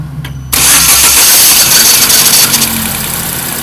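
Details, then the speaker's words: Chevrolet Prisma on cranking: harsh metallic dragging scrape until the engine catches, caused by the starter motor drive. "é como vocês puderam observar é faz um barulho do tipo ferro arrastando né e esse barulho é ocasionado pelo motor de partida tá"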